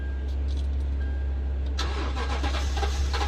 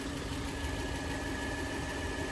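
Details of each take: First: 2012 Toyota Tundra crank no-start: starter cranks in a rough, choppy burst for about two seconds and the engine never catches; no fuel delivery, problem in the fuel pump ECU. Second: Steady, even idle with a smooth low rumble and no misses, knocks or hunting; engine sounds healthy.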